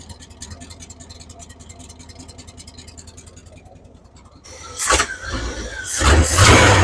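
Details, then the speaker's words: 1978 Chevy K10, 305 cu in small-block V8; valve tick gone but uneven loping idle with throttle blips, timing seems far advanced; vacuum leak, miss or timing suspected, not confirmed. "Well, as you can hear, she ain't ticking over here now. She's still running a little rough."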